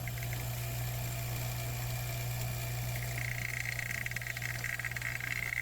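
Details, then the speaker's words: Vacuum pump pulling a vacuum on the A/C system of a 2007 Chevrolet Suburban after a leak repair: steady even electric hum with no knocking; pulling slowly because the port valve core was left in. "Now it's pulling slowly because I have the valve inside of it still. I did not pull it out because I don't have any way to put it back in."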